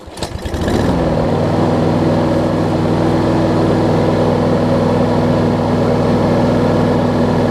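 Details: Husqvarna push mower with a no-spark no-start, fixed by bending the handle bracket so the cable travels far enough to lift the ground switch: a quick pull start catches at once and holds a steady, even drone; running normally.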